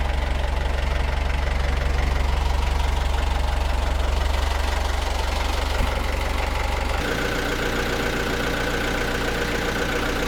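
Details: Perkins 4.108M four-cylinder 50 hp marine diesel, first start after six years, glow plugs preheated: steady even idle clatter, no misses or knocks; exhaust water flowing, no smoke, alternator charging, prop engaged for load; healthy idle.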